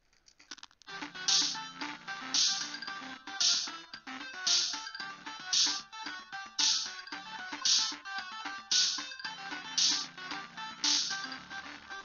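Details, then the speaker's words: Adafruit MAX98357A I2S 3W Class D amplifier in a DIY 3D-printed mailbox boombox playing music cleanly, no crackle, pops or hiss, while the ground wire is held firmly; popping came from inadequate terminal block connection, fix is soldering wires. "if you hold it in just the right spot you'll get super clean audio which and that is because I'm I'm making sure that it's it's on there really really well especially the ground side"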